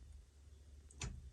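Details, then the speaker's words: 1966 Chevy Nova with a newly installed B&M Pro Stick shifter and trans brake button, key on: one crisp click over a quiet low hum as the button is pressed; the trans brake solenoid engages normally. "And you'll hear the solenoid of the trans brake when I hit this button."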